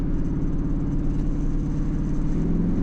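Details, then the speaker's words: Grandma's Hyundai on the way to the dyno with nitrous fitted: deep lumpy uneven rumble, at least one cylinder dropping out intermittently, as when the car was parked; engine misfire, cause not confirmed, hoped to clear on nitrous. "All right, guys, we're almost to the dyno, but it is not happy. I don't know if you guys can hear it. It'll clear up on NOS."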